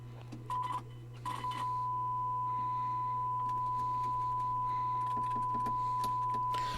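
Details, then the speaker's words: Pioneer SX-1280 receiver, test tone while tape monitor and other switches are worked: tone cuts in and out with scratchy crackles over low hum, channels jumping; dirty switch contacts need cleaning. "so yeah we're going to have to clean some controls it the other channel jumps around a little bit"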